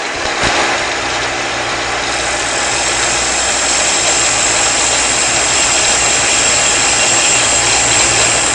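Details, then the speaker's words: Shopsmith lathe turning a table-leg taper, final finishing pass at high speed, slow feed: steady high whir with even cutting hiss and no chatter, a clean smooth cut. "when you're finishing up with this if you want a smooth cut as you Poss possibly can crank the speed up and make the last the last pass very slowly at high speed"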